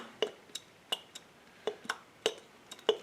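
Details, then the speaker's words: Robertshaw combination gas valve, knob missing, stem turned by hand: sharp dry metallic clicks through the detents as the pilot opens at the hard-stop pilot position, then back to off; normal pilot-position click. "You can hear the pilot opening. This would be the pilot position here because it has that hard stop, and then we turn it back to the off position."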